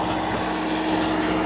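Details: Steady, even diesel drone with a constant hum, no knocks or surges, from a reefer unit; normal running.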